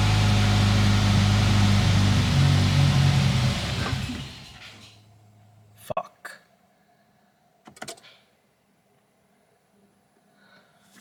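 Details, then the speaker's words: 2018 Subaru WRX on a true cold start after intake and intercooler reassembly during a vacuum-leak hunt (AF learning near -30): it runs a few seconds with a low drone, then sags and stalls; owner suspects an unplugged connector. "okay i don't know if i didn't plug in something but it just uh it's stalled out on us so let's go check out something damn it maybe i forgot to plug in the math"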